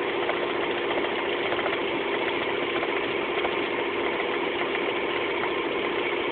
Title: Rover 200 1.4 knocking noise.